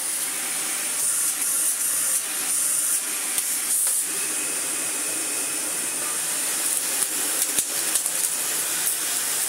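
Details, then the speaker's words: Dyson DC41 upright vacuum, first power-on test before servicing: steady high airy rush with an even motor note, no rattles, ticks or scraping; motor runs fine and brush roll spins with no strange noises. "The major things are that the motor runs absolutely fine and the brush roll spins with no strange noises at all."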